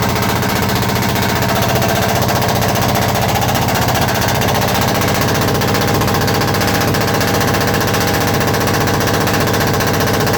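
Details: Perkins 1103 diesel engine with misfire problem at the intake manifold: rapid, sharp, machine-gun-like popping, a misfire blowing back into the intake.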